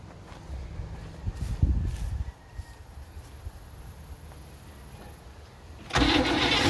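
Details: Old V8 with an old, unidentified carburetor, primed by pouring fuel into the bowl, catches and runs rough, uneven and stumbling for a couple of seconds, then dies when given a little gas; owner suspects a bad accelerator pump or flooding.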